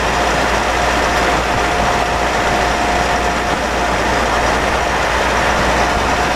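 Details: Mitsubishi 4N15 diesel with V6AWH, about 6,110 km, driving: thin, steady high whine over road and engine rumble. Owner noted burning-oil smell, higher fuel use, later overfilled rear diff, burnt front diff oil, ATF ~1 L short; drivetrain whine, unconfirmed.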